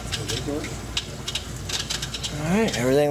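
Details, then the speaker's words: GE dishwasher after motor replacement for loud noise, drain test: light clinks then pump hums up in pitch to steady even drone; normal drain. "all right there's our water test out the water and the drain make sure everything is good to go bone dry in there [Music] okay now we'll check the drain so"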